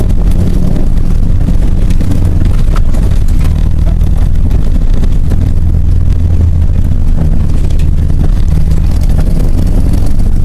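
A loud, low, steady engine drone with an uneven, lumpy beat running through it, consistent with a misfire.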